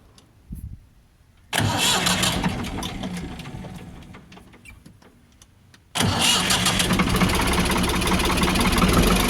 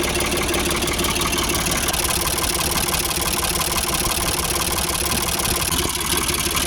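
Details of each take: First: Ford 4600 1000-series diesel tractor just after fitting a new injection pump: slow lazy idle knock sagging after catching, too low; idle screw wound in to about 700 rpm. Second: Ford 4600 tractor diesel after fitting a new injection pump, idle screw wound fully in: ticks over slowly and evenly at about 700 rpm, without stumbling or labouring.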